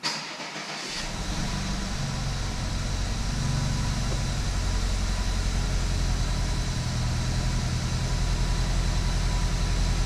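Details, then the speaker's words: Rebuilt BMW 320i turbo engine, first start after rebuild with fault codes cleared: catches within a second and settles into an even, steady idle, no misfire or knock, no dash lights; noted as a noisy engine, warming up. "Agora deixar trabalhar para ver. Deixar carregar, esquentar. É barulhento esse motor. É muito barulhento esse motor mesmo."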